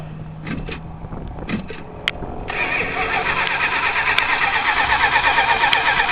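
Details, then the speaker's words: 1978 Chrysler Cordoba at a flea market, won't start after choke held open by hand; starter chugs steadily about three turns a second but engine never catches; owner wonders about flooding, running out of gas or a loose battery connection. "I might be a little bit late car don't want to start car because car's not wanting to start for some reason"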